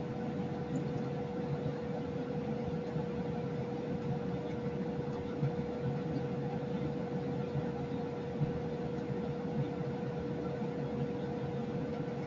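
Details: Lennox EL296V variable-speed furnace, a few months old, recorded in the basement then near an upstairs kitchen register: a steady, jet-like rushing airflow roar with a faint constant hum. The cause is not determined.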